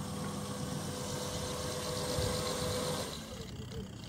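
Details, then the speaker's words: Automatic washing machine converted to a manual timer, tested after rewiring: a steady wash motor hum for about three seconds, then it drops away as the drum reverses. The wash agitation is working normally. "Berarti untuk pencucinya sudah Sip sudah gak ada masalah ya sudah lancar"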